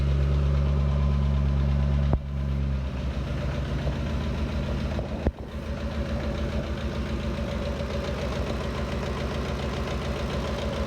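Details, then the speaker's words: 2013 Ford Expedition V8 idling with a fast, uneven chattering tick from the valve train, first suspected as cam phaser or timing chain, judged to come from the left side; found to be a broken rocker arm. "i believe it is coming from the left-hand side of the motor so i think what i'm going to do is pull the left valve cover off"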